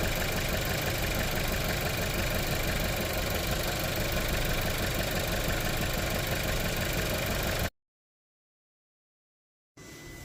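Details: VW Tiguan shaking at idle and not revving up: uneven, stumbling idle with a lumpy pulse around three beats a second; misfire from worn spark plugs, fixed by replacing plugs (coil also new).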